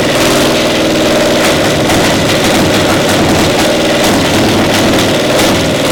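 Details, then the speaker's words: Caterpillar Diesel 70 pony motor, round 5 rope-pull start with gas dripping up the shaft: rough, uneven chuffing with irregular missed beats, one cylinder hitting intermittently despite good blue spark; plug suspected, intermittent misfire from faulty magneto cap. "It's hitting intermittently like it's a spark. It's got a nice array of blue spark there, but it's not hitting every time."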